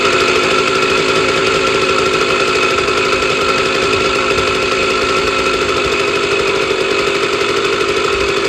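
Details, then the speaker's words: Sears Sabre 50cc two-stroke motorcycle, 1965 or 1966, first start in 45 years after a carb clean: loud, steady, high buzzing run with no misses; normal running. "So, now that we know it runs, which is a miracle because it hasn't ran in 45 years, that was the first start in 45 years on this motorcycle."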